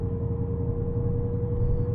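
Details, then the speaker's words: 2009 Dodge Challenger R/T (cam, long-tube headers, Magnaflow catback, 432 whp) at highway speed on the gas after new polyurethane diff bushings: steady mid-pitched differential whine over road rumble, more pronounced and louder than before; diff has always whined. "you can definitely hear it more pronounced. It definitely is a little bit louder. But at the same time, my diff has always whined."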